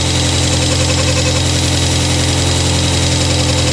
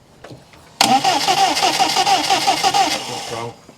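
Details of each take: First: 1997 Rover 200 vi petrol engine just after head gasket replacement, some correct bolts still missing: smooth steady idle with an even low hum, no knocking or misfire; engine running cleanly. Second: Rover 200vi first start after a head gasket replacement: the starter churns, then the engine catches with an uneven, pulsing roar and a ringing tone. The cause is unclear, possibly just first pressure-up; the timing marks and compression are to be checked.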